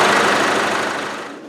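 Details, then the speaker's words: Isuzu 4BD1T turbo diesel in a Land Rover Defender, fully warmed up before a compression test: even, steady diesel clatter at idle with no misses or stumbles; running smoothly. "right so it's nicely warmed up now everything's nice and warm"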